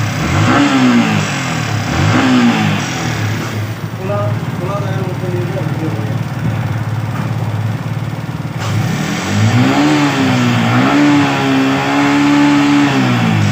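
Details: Yamaha R15 V3/V4 single-cylinder engine with a suspected engine/VVA sound problem: revved up and down, rough uneven note under the changing pitch; abnormal engine noise, cause unclear.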